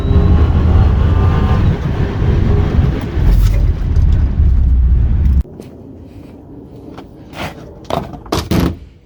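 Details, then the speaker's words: 2003 Acura TL V6 driving after the dead ignition coil was replaced (misfire codes P0300, P0301, P0303–P0306, P1399 and new plugs beforehand): deep, steady, even engine rumble with no stumbles or misfire. "Let's go for a ride. Oh, she sounds beautiful."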